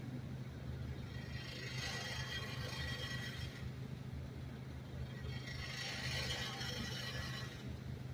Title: Audio sample . Subaru with noisy exhaust system .